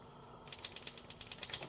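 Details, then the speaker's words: 2010 Honda Elite 110 scooter, 600-mile service valve adjustment: rocker arm moved back and forth by hand gives light, crisp metallic clicks about seven a second, showing free play with the decompressor not engaged, normal valve clearance. "How do you know if it's engaged or not? Well, you should be able to hear a little bit of clearance when you move the rocker arm back and forth."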